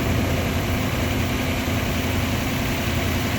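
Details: 1998 Lexus LX470 after starter replacement; deep steady idle rumble with even beat, no misses or knocks; engine settling into smooth healthy idle.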